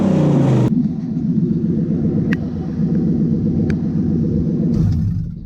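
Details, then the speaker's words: Toyota Hilux with Lexus V8 swap, properly warmed up after cooling system bleed; low steady V8 burble settling to slower even idle, no knocks or misses; idle expected to drop further later, normal warm idle. "The idle will come down a bit further than that, which you'll see as we continue through this job."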